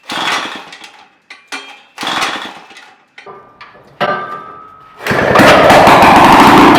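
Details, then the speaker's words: 1940s two-stroke rototiller (circa 1946), sat for years: repeated pull-starter rasps with no firing, engine turns over but won't catch; no fuel found in it, and it ran once fuelled. "fuel down here there's your problem never fuel no run"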